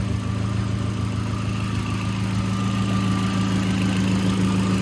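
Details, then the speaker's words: Mk4 VW GTI petrol engine, acting up, idling: light quick ticking about three per second over low hum, heard at the fuel injectors; injectors not yet done, cause suspected. "yeah i got to do the injection you guys put the camera up to the uh the injectors you'll hear a ticking noise you guys can hear that coming from right here"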